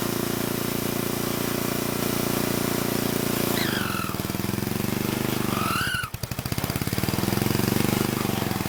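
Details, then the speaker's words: Old Troy-Bilt Horse I tiller, single-cylinder, after valve cleaning, a new plug and carburetor adjustment: fast, chugging beat with an occasional stumble and pop, steadying as it warms. It still pops but sounds better. "Okay, that's weird. It actually did sound better that time. It did still pop some though."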